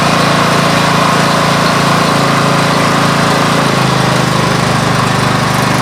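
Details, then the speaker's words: Coleman Powermate 6250 generator with Subaru engine: steady drone drops to a lower labouring pitch under load; after governor adjustment output fell to 100 volts and 47 Hz, so the adjustment was wrong. "they dropped it all the way down to 100 volts and uh 47 hertz so uh that was not a good idea"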